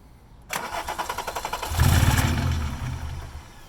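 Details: VR6 engine being fitted in place of a blown 2.0, freshly fuelled with a few litres of gas: starter cranks in quick even beats, about four a second, then the engine catches roughly, runs briefly and fades; hard start and stall, cause unconfirmed.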